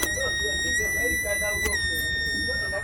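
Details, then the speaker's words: Fluke 116 multimeter, bought as not powering on, wired to a 9 V battery: a thin, steady high whine near 2 kHz that shifts slightly when the switch is turned while the meter stays dead; owner wonders if his body touching a resistor is causing it. "Maybe, I don't know if my body is shorting it or something. That's why it's making that humming noise like"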